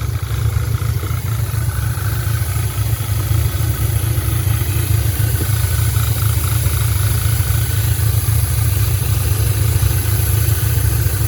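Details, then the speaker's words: 2010 Audi A5 quattro 6-speed manual, 2.0T with a 2015 CPM engine swapped in, 144,045 miles: first run after the swap idles with an uneven, stumbling misfire while the coolant is bled. "you can hear the engine definitely running with a misfire"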